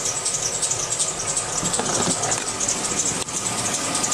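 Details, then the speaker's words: 2002 GMC Yukon Denali V8 at idle: shrill, pulsing high squeal from a slipping serpentine belt; tensioner, idler pulley, alternator replaced without fixing it, the correct new belt finally solved it. "so I'd like to not have us high-pitched squeal coming for seven straight hours of car first thing I do is start this thing up so you can hear this squeal"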